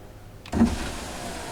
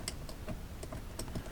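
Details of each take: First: 2004 Cadillac Escalade EXT, engine running: click then smooth steady driver's power window motor whir, working again after the window switch repair. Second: 2004 Cadillac Escalade EXT, rear passenger door power window: irregular sharp clicks each switch press with no motor hum, window not moving from either switch; likely bad window motor.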